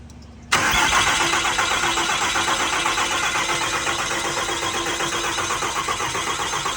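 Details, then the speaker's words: 6.4L Cummins diesel just installed in an 07 quad cab, first start attempt on old tuning: starter whirs steadily about four beats a second, never fires or tries to start; crank no start, cause unknown. "All right, so clearly something's not happy because it cranky, no try to start."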